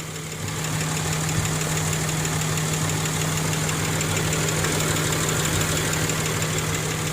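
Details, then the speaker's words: Nissan Xterra 3.3 V6 at 183°F operating temperature, idling in gear after a bank 2 running-rich fix: steady, even low hum with no stumbles or misses; smooth idle, no misfire. "we'll go out here and listen to this internet purrs and no missing whatsoever you dropping gear absolutely perfectly quiet"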